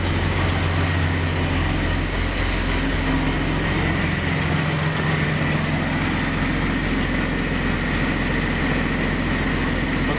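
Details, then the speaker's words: Jeep XJ first start after Big 3 battery cable upgrade: steady, even idle rumble with a little belt squeak and no knocks or misses. Battery is charging, and engine and charging system sound healthy. "Okay, that's good power so far. Little belt squeak, but she's minty. Battery's charging. Very nice."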